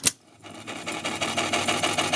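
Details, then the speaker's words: Sony TC-252D stereo tape deck: after a click, a rapid high ticky whirring chatter builds as the flywheel spins up, like a dry bearing; lubrication likely needed or something hitting, unconfirmed. "see how long it takes to get that noise going and that's that get that flywheel going I think there's some lubrication needed there somewhere obviously so I don't know it could be hitting something also"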